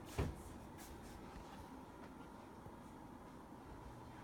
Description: Brand new Mitsubishi Air Conditioner shortly after being turned on. is Whisper quiet.